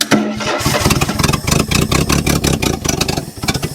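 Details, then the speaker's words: 1974 AMC Javelin sitting 30+ years, first start attempt on a little choke: the engine catches and sputters with ragged, uneven firing, then dies. The owner suspects it is out of fuel or has a stuck carburetor float. "I had to choke on a little bit. Oh, that didn't sound good. Oh, no."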